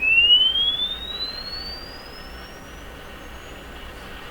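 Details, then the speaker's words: Crosley 12B radio, Canadian, after restoration: pure sweep tone glides up and down evenly without wavering, dropouts or rattles, clean frequency response. "see anything funny happening with us it just seems to go up and then come down if it did something weird like went up went down went up went down and I'd be pretty suspicious"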